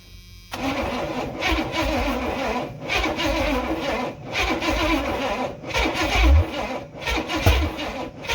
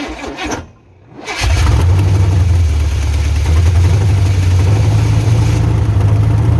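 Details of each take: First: 1986 Silverado C10 with a carbureted Vortec 350 swap, first start attempts with open holes in the intake and carb sucking air: slow, uneven cranking with brief tries to catch. Owner unsure whether battery or starter is weak; thinks timing needs advancing. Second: 1986 Silverado C10 with a carbureted Vortec 350 swap, first fire-up with timing fully advanced: catches after a short crank and settles into a deep, loud lope with no knocking. Engine runs, nothing wrong in the motor.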